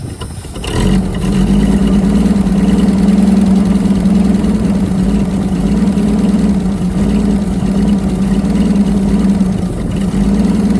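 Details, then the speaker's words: Holden FC Grey Motor six, first start in 50 years: starts promptly and settles into an even, steady idle on all six cylinders with no misses or knocks; running healthy. "blocked that's full six cylinders AI yeah it sounds good bit"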